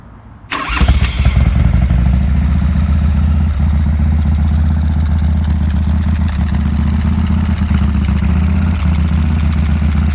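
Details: 1987 Harley-Davidson FXRP (EK, ex-CHP) with Andrews EV27 cam, 15K miles on rebuild: cold start on choke catches within a second and settles into a steady, loping twin idle without misses.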